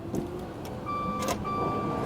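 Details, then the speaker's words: Vehicle at a Copart auction: a few hard starter clicks and no cranking at all. A locked-up engine or mechanical damage is suspected, and the battery is likely in the trunk; the cause is not confirmed. "clicks hard, like it's trying to start, and then it doesn't. So I believe that this one's going to be some kind of mechanical damage."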